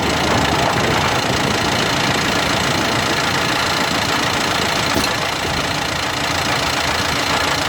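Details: New 2016 Dacia Duster dCi 4WD accelerating in 5th or 6th gear from 1500 to 1800 rpm: diesel drone with a coarse grinding rasp and uneven knocking beneath; owner suspects a faulty drive shaft, unsolved after two dealer visits.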